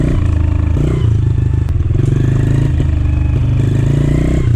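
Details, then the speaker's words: 2013 Honda CRF110F dirt bike, low hours but long sitting: after carb clean it idles well with good low-RPM response, yet under load in mid-range and upper RPM it hesitates and sputters badly; partly blocked main jet. Owner first suspected clogged air filter or old gas. "So after the carb clean, the bike started up, idled really nice, had good throttle response at low RPM, low throttle openings, but once you started to accelerate under load, mid-range, upper end, it would hesitate and sputter really bad."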